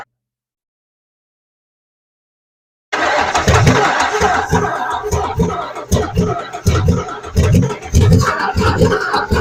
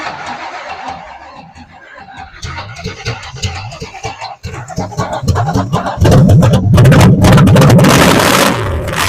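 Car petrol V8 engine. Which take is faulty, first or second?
first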